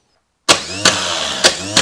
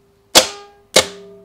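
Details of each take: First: Old GM Delco starter on the bench during voltage drop testing, four-gauge cables, negligible drop: a few sharp clicks, then strong even high-pitched whir spinning down smoothly; starter turning freely and healthy. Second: Starter solenoid on the bench with the battery cable removed, energized to simulate the no-start click heard in a vehicle, drawing almost 60 amps; two sharp loud clicks with a metallic ring, nothing turning.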